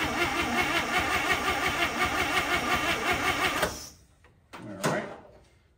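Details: 1955 Chevy, engine not yet drawing fuel on its own, cranked from outside on a jump box: starter churns steadily nearly four seconds without catching; cranks but won't fire.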